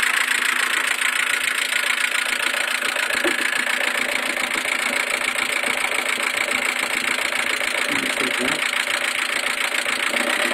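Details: Mercedes A140 at steady idle: a fast, fairly even light tick, roughly three or four per second, over the engine hum; cause not identifiable.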